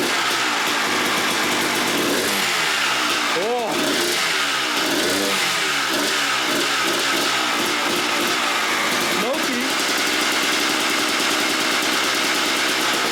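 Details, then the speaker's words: 1997 Suzuki RM250 two-stroke, abandoned and not run in years, fuel line just reconnected: crackly sharp rev sweeps between rough idling, very smoky, only keeps running on choke. "All right, you guys saw the bike running with a choke on."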